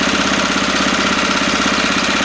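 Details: 1970s Honda E2500 generator after the governor was readjusted: steady, even running with a constant pulse, no hunting or surging; holds speed smoothly at normal idle.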